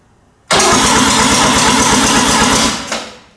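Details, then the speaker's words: Mazda RX7 12a rotary being brought back to life, in neutral, not expected to start: even, quick cranking pulses for about two seconds with no hesitation or binding; engine spins over freely, normal cranking. "Yes! It spins over. It's brilliant. That is such good news."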